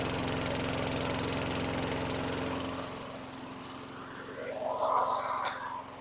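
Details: 2003 Craftsman mower (model 917.387360), Tecumseh 4.5 hp 148cc engine, after installing the correct carburetor: even single-cylinder putter at steady, slightly slow speed, about 220 beats a minute, then fading; runs clean, idle a touch low.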